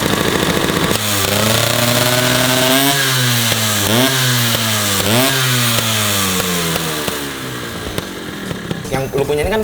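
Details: Vespa PX two-stroke, Polini 137 cast-iron cylinder, SIP full-DC ignition, DRT clutch and carburettor, started outside; crisp blips, pitch rising and falling cleanly with throttle, no misfires; healthy engine.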